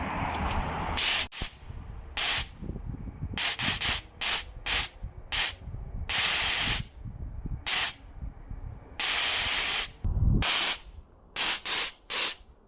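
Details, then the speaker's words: Nitrous purge test after rebuilding stuck rusted nitrous solenoids: short thin airy hissing bursts, not a dense blast, spraying less than expected; bottle holds a lot of air, needs draining and refilling with a fresh bottle. "So there's a bunch of air in the bottle. See, like, no nitrous coming out. So I just need to drain it and refill it with a fresh bottle, and it should fucking purge like crazy."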